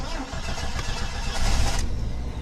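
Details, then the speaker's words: 1987 Jeep Wagoneer Limited, 4.0L, 181,284 miles, fuel injector cleaner added, intermittent no-crank issue: short crank quickly fires into steady low running rumble without hesitation; normal start, runs well. "mine cranked up, but um, yeah, she runs pretty good for her age. I mean, for being over 30 years old."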